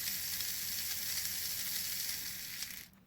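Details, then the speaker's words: Old Lima model diesel shunter motor, removed from chassis and clipped directly to an old Hornby controller: steady, even high buzzing hiss with no catches or rattles, running slowly then faster, then cuts off; healthy. "and as you can hear, it's running. It's running pretty slowly at the moment, so that's a good sign."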